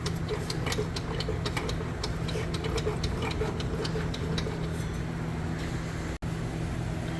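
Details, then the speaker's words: 1965 Mercury Comet Caliente engine, not run in 10 years, spark plugs out (sooty, possibly ran rich), turned over by hand: not seized, but slow, uneven clicks and ticks of unknown source; growling noises also noted later. "Okay, it's not stuck. Find that clicking noise a little disturbing. Where is that coming from?"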